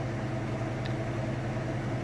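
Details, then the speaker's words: Kenmore top-load washer on its final spin after draining: steady, even low hum with no thumping, knocking or rubbing; drum spins fast and balanced, sounds smooth. Normal spin cycle. "You see it's nice, smooth, sounds great. I'm going to lift the lid up. It will kick in the safety switch and shut it down, but you'll be able to see that it's spinning nice and fast. As you can hear, it sounds great as well."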